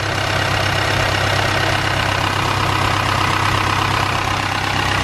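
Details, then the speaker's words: Supercharged Honda S2000 at idle: hard rapid clatter under the exhaust, sounding like a diesel, not like a lifter, speeding up slightly with the engine; origin unknown. "this sound funny don't sound like a lifter it doesn't speed up with the engine it does a little bit [Music] yeah it does it sounds sounds like a diesel"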